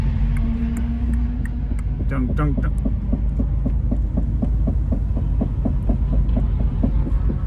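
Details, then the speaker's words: Subaru WRX STI after track day, awaiting tow: deep steady throbbing hum with quick regular thumps about five per second; suspected badly worn wheel bearing or broken CV joint. "all right so the victorious sti probably has like a completely flogged wheel bearing or broken cb or something of that nature"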